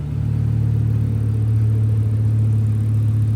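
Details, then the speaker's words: Rebuilt MK5 Jetta five-cylinder idling on open headers with no exhaust fitted, after a test drive that was otherwise fine: a deep, steady, unmuffled booming drone; a proper exhaust is still to be installed. "even though the car sounds like a pile of ass it works from what I [Music] see so basically now I'm just going to focus on trying to get a proper exhaust back on this thing and making it sound better cuz it was just open headers"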